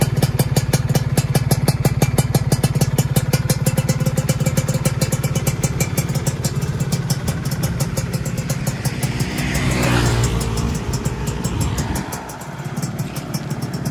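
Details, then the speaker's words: Freshly rebuilt Yamaha F1ZR two-stroke engine, new block at zero oversize, first start: fast even popping held steady with a brief rev blip, no knocking or rattle; smooth, healthy idle. "nah oke teman-teman e Alhamdulillah Ini mesinnya sudah naik dan alhamdulillah suaranya juga udah halus"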